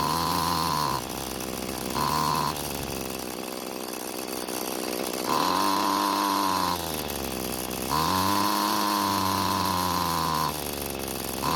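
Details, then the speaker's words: Free curbside Bolens two-stroke string trimmer after reconnecting a detached throttle cable: buzzes and surges between two speeds, never reaching full speed; owner plans to adjust the single carburetor fuel screw with a single-D tool. "ah so it started and ran but it's not getting close to full speed now to try and solve the problem i want to try adjusting the carburetor's fuel adjustment screw"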